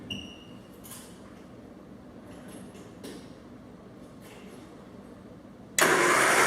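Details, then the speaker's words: 1967 Triumph Spitfire junkyard revival with spark plugs removed; quiet, even spinning with no compression pulses as the starter turns the engine freely; normal starter cranking. "that's awesome all right so we know we've got starter let's go ahead and put our plugs back in and see if it sounds like we have compression"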